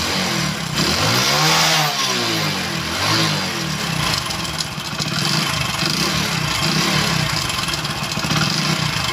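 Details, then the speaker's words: Bike at idle and throttle blips: loose clattery piston knock, "tik trik" sound, harsher with throttle, plus light timing chain rattle; worn piston suspected, some mechanics said crank noise. "आपने इसके engine का sound सुना यहां पर थोड़ी बहुत timing की आवाज है लेकिन इसके अंदर यहां पर मेन आवाज आ रही है पिस्टन की जैसे मैं इसका थ्रोटल लेता हूं तो यहां पर पिस्टन की जैसे टिक ट्रिक ट्रिक की आवाज आएगी"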